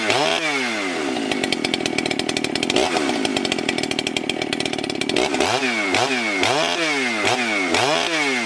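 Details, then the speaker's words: Freshly rebuilt ported Husqvarna 394XP chainsaw with good compression, test-cutting a large log: high two-stroke scream holding pitch in the cut with sharp rev swoops between bites; strong and clean, with minor carb tuning (leaner low, richer top) planned. "she's pretty good Justin would say uh I'm going to tune on the carb a little bit I believe the low jet could be leaned out just a hair and maybe riching it back up a little bit on top end"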